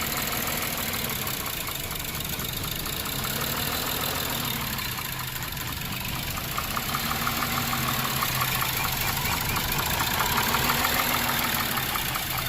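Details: 2007 Lexus IS250 after repairing a no-start, no-crank fault and reassembly: steady, even idle with a soft regular tick under the hum, no stumbles; normal idle.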